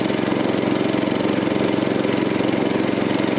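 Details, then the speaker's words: Troy-Bilt tiller repowered 14 years ago with a 6.5 HP 212cc Predator engine, hard to start this year, running on a new spark plug that was found loose: steady, even, fairly quiet single-cylinder beat, sounding no different from last year. "running though. Sounds good. Fairly quiet. Doesn't sound different from last year."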